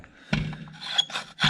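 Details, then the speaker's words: 1934 Plymouth rat rod water pump that squealed when started, turned slowly by hand: short dry rasping scrapes with each push. Spline damage is causing the bearing noise, and the pump no longer turns. "so there we go folks it looks like uh we have a bit of spline damage there if you have a look i'll move that down and that's what was causing the bearing noise and that's now not turning either"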